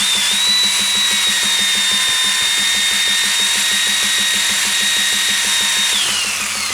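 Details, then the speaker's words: Lister D lighting plant dynamo being driven by a hand-held electric drill rated 2,500 rpm, slightly geared, to show it charging: steady high drill whine, then pitch sags as the dynamo takes up charging load; normal. "Right, and this drill turns at 2,500 revs, it says. But we're geared up or down slightly, but you can hear the drill charge a bit."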